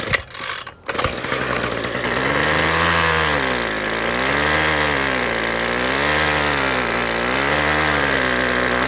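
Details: Six-year-old Ryobi two-stroke weed whip that wouldn't start, newly primed with fuel, buzzes unevenly with its pitch surging about every second and a half; it is running rough and hunting, the cap leaks gas, and the owner suspects it needs a new spark plug.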